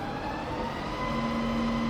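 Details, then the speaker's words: Rebuilt Bridgeport milling machine, spindle in low range stepping from 60 through 110, 190 toward 260 RPM: low, smooth gear hum rising gently with speed, no clicks or grinding; normal, quiet spindle operation. "So we're now in low range. It's just as quiet in low."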